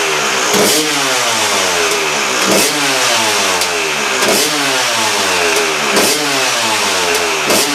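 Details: KTM two-stroke after replacing reed valve: crisp blipping up and down every couple of seconds, rising and falling cleanly without stutter or misfire; sounds much better than before; healthy revving.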